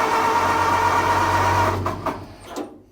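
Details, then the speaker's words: 1929 Ford Model AA tow truck, after sitting almost a year, choke briefly closed: steady starter whir with cranking pulses about three per second, never catches, then stops; fuel not yet reached the carburetor. "nothing it's going to take a second for fuel to get in the carburetor"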